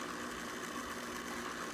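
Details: Intex pool pump, two seasons old, after repairing a broken motor balancing rod and refilling with no leaks: quiet, even mid-pitched hum with no rattle or surging; pump running smoothly after repair.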